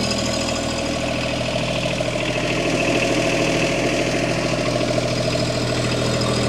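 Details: Bobcat MT100, 3-cylinder Kubota diesel, just cold-started at about 0°C after a glow plug cycle; steady, even idle with light regular clatter, no misses; normal diesel idle.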